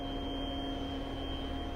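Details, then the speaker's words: Bridgeport CNC milling machine after selecting drive enable, before homing: steady, unchanging whine with several clear pitches over a low hum as the axis motors energize; normal. "I don't know if you can hear that or not but the motorist is kicked on to hear that whining"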